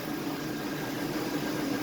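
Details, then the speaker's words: 2003 Chevrolet Tahoe, replacement engine swapped in at 337k miles, after lifters and pushrods were fixed, curing an earlier knock: smooth steady idle with even hum, no ticking or clatter; sounds as it should. "All right, so after Justin fixed the lifters and the rods, now she sounds beautiful. That sounds how it should."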